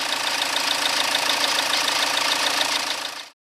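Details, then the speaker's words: Peugeot/Citroën HDI diesel after clearing an EGR blockage, running at steady speed. Even diesel clatter with the turbo now audibly spooling up and down, no stumbling or hunting, then a clean stop. Running well. "you can hear the turbo wind it up and down all right at least I hope it's supposed to sound like that it's certainly working a lot harder than it was before anyway success she's running a treat"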